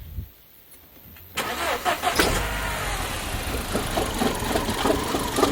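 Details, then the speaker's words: 2007 Audi A4 B7 1.8 turbo starting and idling: uneven, shaky idle with rattles and bangs, a misfire from a vacuum leak; smoke test showed a slight leak at a broken lower PCV valve that needs replacing; coil packs recently done. "it's ratting banging making all sorts of horrible noises um now these valves here can quite often cause some problems this sort of miss is quite often fixed uh caused by a vacuum leak"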